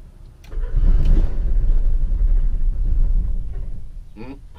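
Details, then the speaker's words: RV generator after fuel tank refit and new Motorcraft fuel sending unit install: starter churns about three seconds, rising then fading without catching; crank no start as fuel had not yet reached the engine. "tried to start there we go perfect yep just needed to get that gas up in there"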